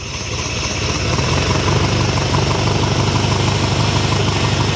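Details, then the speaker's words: Ferrari 308 GTS rebuilt V8, first start in about four years: steady fairly even idle with low burbling pulse and some top-end chatter; good oil pressure, no leaks, running well, could use a bit more ignition timing. "you're good pressure no leaks underneath well that's not bad running and idly like that after four years sounds like we could do a bit more timing"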